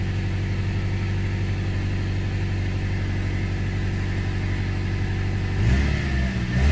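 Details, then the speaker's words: 2001 Toyota Tacoma 3RZ-FE running after a head gasket job and reassembly (timing confirmed correct, oil pan leak found); it had been spitting, sputtering and cutting out. Now a steady, even low rumble with a brief blip, no misses or spitting; sounds a lot better. "I don't know if it's going to spit and sputter again so let's find out foreign [Music] [Music] it sounds a lot better"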